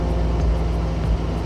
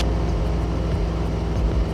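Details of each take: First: Club plane engine at cruise after the mixture is enriched back from over-lean while leaning: a steady, even drone at constant pitch with no roughness or dips, back to smooth normal cruise running. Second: Club plane engine at cruise altitude, mixture being leaned back from full rich while watching a gauge: the drone sags and goes uneven, the beat wavering before recovering, showing rough running from an over-lean mixture.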